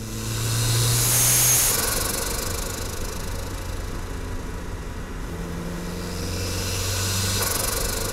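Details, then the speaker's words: Budget turbo Mazda Miata with an eBay HKS-copy blow-off valve, full-throttle pull: engine pulls under a steady airy hiss as the blow-off valve leaks boost, so it makes little boost, and the turbo surges. "and here's a full throttle pull but you will note that that blow off valve is leaking boost and it's really not making a whole ton of boost"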